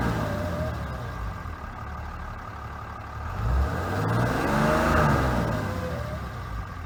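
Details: 2012 Ram 3500 6.7L diesel under acceleration: a whine rises in pitch as revs climb, every time it accelerates. Source not identified; whining noise under acceleration.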